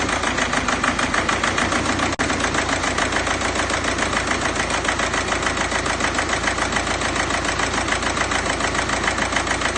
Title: BKD rough idle